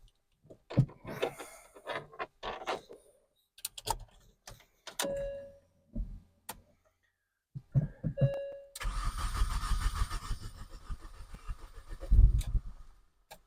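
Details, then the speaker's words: Mini Cooper S first start after engine rebuild, subframe refitted, coil pack reconnected: several short cranking bursts with clicks, then engine catches at about 9 s and settles into a steady low running note; starts cleanly. "We have success. So that is a huge result. I'm so pleased. It was the most nerve-wracking start of an engine I've ever done. It starts, it runs,"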